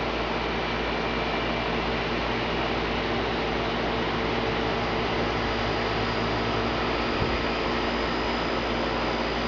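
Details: 2003 Carrier 3.5-ton condenser, test run after a new fan motor and capacitor: an even, steady whir with a smooth low hum and no rattles or scraping; the condenser fan runs cleanly and sounds healthy.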